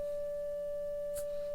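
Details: 1935 Philco 54C speaker, field coil at 40 mA and 114 V (about 2,850 ohms, near 2,600 spec; erratic meter readings suspected), playing a test tone; clean steady mid-pitched tone, no buzz, rattle or dropout, healthy.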